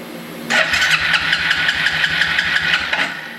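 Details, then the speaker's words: Free yard-sale Suzuki 4-wheeler unrun for years, single-cylinder compression test with carb off: brisk 2.5 s cranking, evenly paced chuffs; reads 170 PSI, judged excellent. "170 PSI I don't know what the book is on it but that is excellent"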